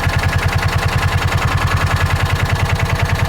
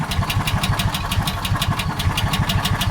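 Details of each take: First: John Deere Gator 4x2, after adjusting carburetor idle and jet mixture: even, steady thumping idle at about 1140–1150 rpm, no hunting or stumbling; normal idle. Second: John Deere Gator 4x2, cold start: slow, lumpy idle at 680–690 rpm with uneven chuff, sagging like it wants to stall; idle speed set too low.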